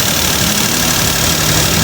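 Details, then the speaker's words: Suzuki Celerio after AC compressor conversion (old compressor had noise from inside): steady, even idle with aircon running, smooth hum under engine noise, no rattle or grinding from the compressor; normal idle with AC on. "Ayan mga boss, wala nang ingay boss. Yung dati mga boss, para tong may naggagaling dyan sa loob ng compressor, yung luma nila na compressor."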